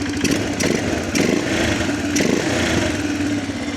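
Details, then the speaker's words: 2006 Arctic Cat 400 ATV after fixing intake leaks; low steady idle with a few soft clunks as gears shift, no stalling or hunting. Normal idle. "grabs right up too. So, runs good now."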